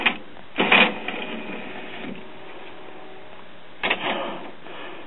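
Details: Reassembled Denon commercial-grade CD player/cassette recorder (Japan, December 2001), final test: short motor whirr and soft clunk as the tray travels, quiet between, then another clean cycle; tray working normally.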